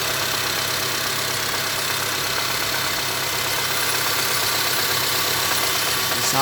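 Even idle with a light, irregular tapping of roughly three per second riding over it; a knock at idle, cause not yet known.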